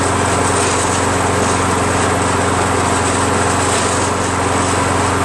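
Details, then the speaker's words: Toro Recycler 22" Personal Pace 20068 mower, Briggs auto-choke engine with replacement carburetor, drive engaged: steady engine with coarse gritty rattle over it; self-propel transmission gears suspected broken, engine also burning some oil. "I'm trying the transmission it's right it's bust that sounds like the yeah so I think the gears are all screwed up in the transmission"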